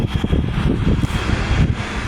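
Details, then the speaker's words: Haier 5K BTU window air conditioner, salvaged from a barn and cleaned and bleach-disinfected, first test on low fan: a steady low hum with a faint high whine and no knocks or rubbing. The fan runs smoothly and airflow is confirmed. "We're just going to do low fan first. Very nice. Sounds good."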